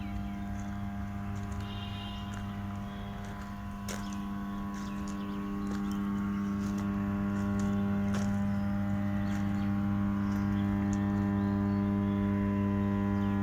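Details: 220 kV, 50 MVA power transformer: steady low mains hum, clear unchanging tone with faint overtones, growing slightly louder; normal magnetostriction core hum.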